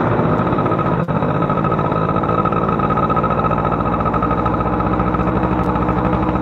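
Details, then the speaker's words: Two-stroke motorcycle with a standard engine, carburetor setting: runs thick and burbly with an uneven, smothered beat that never clears up; the mixture is too rich, with weak top-end power. "udah jelas ini motor Kebanyakan bahan bakar Kebanyakan bahan bakar"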